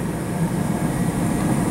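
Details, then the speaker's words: Natural gas furnace newly converted from oil heat, with jets rather than burners and hot surface ignition, no pilot: quiet, steady low rumble with an even rushing roar and no knocks or surges; normal running. "got the furnace running here you see it doesn't use burners it actually uses Jets and there's no pilot just uses a hot surface ignition and it's quite quiet"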